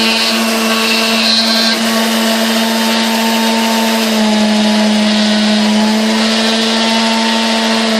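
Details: 1960s Hamilton Beach Model K stand mixer after maintenance and service, heavy grime scraped off, turntable still missing: smooth, even low motor hum at steady pitch, no knocks or rattles; runs cleanly and sounds healthy.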